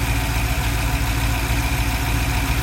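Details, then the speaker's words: Cadillac CTS-V LS6 V8 idling after new harmonic balancer install with pinned crankshaft: low steady rumble, even beat, no knocking or rattles; engine seems to shake less than usual; starting issue unchanged; normal idle. "Engine looks like it's shaking less than it normally does."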